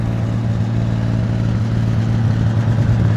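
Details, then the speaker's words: RV motorhome engine dormant over 20 years, now with a rebuilt 1-barrel Rochester carburetor, fresh gas from an electric pump and the choke held closed. Idling outside while warming up: steady, even low rumble with a smooth firing beat, no misses and no smoke. "let it warm up let's hear what it sounds like out here nice [Music] no smoke nothing crazy"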